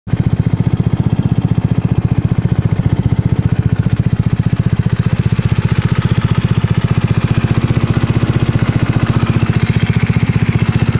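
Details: Tripple88 Zuma 164cc kit: loud steady single-cylinder thump near three beats a second with a light tick on each beat, cause unknown. Engine ticking noise.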